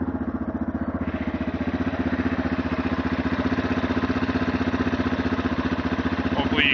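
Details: 2008 Yamaha TTR230 idling after about 5 minutes' warm-up: steady light ticking rattle over the single-cylinder beat, only when warm, seemingly from one side; valves in spec, cam chain tensioner checked fine, cause unknown.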